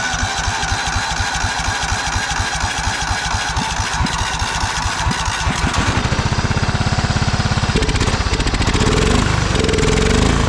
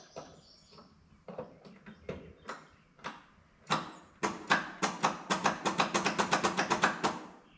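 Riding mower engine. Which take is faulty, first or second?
second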